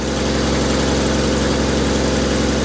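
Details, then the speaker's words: Willys jeep engine at a steady, even warm idle with a low rumble and fine regular pulse, no knocks or misses, running like a sewing machine; normal idle. "but you can hear it hear that damn thing running like a Singer sewing machine"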